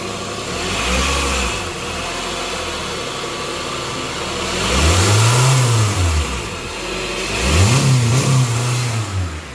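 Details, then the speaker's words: 2022+ Honda Civic 2.0 LX with the new serpentine belt reinstalled after crank pulley work. It idles, then revs rise and fall twice with no squeal, chirp or slapping, and the earlier noise has not returned. Normal running. "Seems like it's okay."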